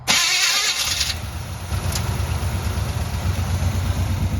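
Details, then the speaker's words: 1978 GMC 3/4-ton 4x4 parked about 20 years, engine previously rebuilt, gas poured in carburetor: fires on first bump with a loud catch and settles straight into a steady, even V8 idle; healthy start. "can you believe that that is awesome I mean you just bumped it and it fired up that's crazy"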